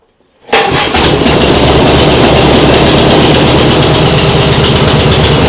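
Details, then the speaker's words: Nibbi G619 walk-behind tractor engine after carburettor cleaning to cure hunting at idle; starts at once and settles into a quick, even sewing-machine patter with no hunting, sounding much better. "doesn't that sound better yeah that sounds much better like a sewing machine that sounds great really great"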